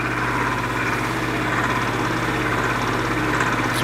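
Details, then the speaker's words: 1950s Patton 18-inch High Velocity fan, 3.2 A GE shaded-pole single-bearing motor, hot and slowing with normal current draw: strained low hum and dull labouring whir; the bearing is binding, and the owner wonders if the thin fan oil is to blame. "it is slowing down as we speak it's not drawing any more current than it's supposed to be"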